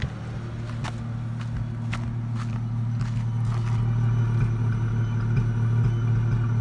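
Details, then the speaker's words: 2004 Ford Mustang 3.8L V6 automatic at idle: steady hum broken by sharp pops every half second, car shaking, developing after a minute or two; fuel pressure read over 60 psi; fixed by replacing faulty new coil pack. "popping noise. Can't seem to figure it out. Now it's starting to do it a lot more. And every time it pops, the car shakes."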